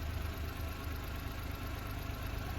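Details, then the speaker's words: 1999 Suzuki Every DB52V with F6A engine, running only with a relay bypass, check engine light on: even, low idle with steady beat and no misfire, rattle or hunting; runs smoothly after bypass. "thank you for watching anyway the car is running very smooth after my bypass"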